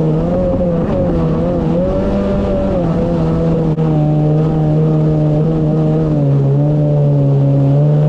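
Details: 2019 Yamaha GP1800R WaveRunner, supercharged 1.8L, running at speed on the water after supercharger clutch replacement: strong even engine note with small pitch swings as speed shifts, no knocks or rattles; running normally.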